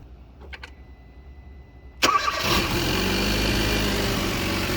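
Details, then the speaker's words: Car started after a new alternator was fitted, replacing one with badly worn brushes: a short crank, it catches at once and settles into a smooth, even idle with no odd noises; charging reads 14.2 V. "nice she's running all right let me go grab my um voltage meter and we'll check the voltage"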